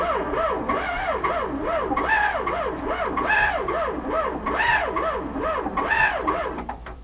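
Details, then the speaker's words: VW Sterling kit car, 12V engine with 6V transmission: laboured, wavering starter whine, sluggish cranking; bellhousing clearanced for 12V flywheel but starter bushing never changed, so starter drags; fixed with self-supporting starter. "somebody's got a 6vt transmission in here you probably machine the bell housing out to fit the 12vt flye but they didn't change the bushing and the starter end on a 12v is smaller than a 6V"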